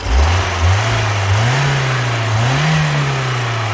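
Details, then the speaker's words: BMW E30 Touring with a 4-cylinder engine: clean free revs, the pitch climbing and dropping smoothly with no knocks, rattles or misses; it sounds healthy and as it should. "I don't know what this engine's gonna sound like on the film, because the sound is normally distorted, but trust me when I tell you, it is. It sounds the way it's supposed to."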